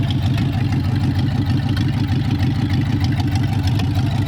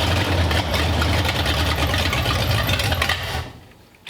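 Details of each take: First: 1932 Roadster V8, newly installed, started with the original 1932 ignition switch and push button, carburettors only roughly set: deep, steady burble at idle with an even low rumble, no knocks or misses. Normal idle. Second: 1932 Roadster V8, newly installed in the car, carburetors not yet adjusted: it catches and runs rough and uneven for about three seconds, then dies; fires but won't stay running.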